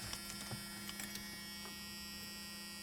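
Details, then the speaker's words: 1986 Ford Bronco 302 V8, key cycled a few times to prime the fuel pump: faint steady electric hum under light clicks, no cranking; normal fuel pump priming. "Now we'll have a whole lot better chance. Key in cycle the fuel pump few times."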